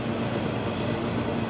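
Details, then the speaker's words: MBraun MB-200MOD glove box: scroll pump running as box pressure is pulled down from about 11.2 toward -12 mbar, gas exhausted through valve and pump; steady even hum, low drone, no knocks or rattles, normal. "As you can hear that scroll pump operating, so the box, the gas inside the box is being removed through a valve, through the scroll pump, and out to the exhaust."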